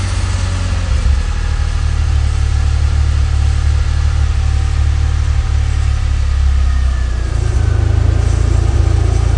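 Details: DeLorean DMC-12, 5-speed, stock engine: revving up and down from idle with a loose metallic rattle on the low drone, also while accelerating on the road, for a few months; source unclear, possibly muffler bracket suggested.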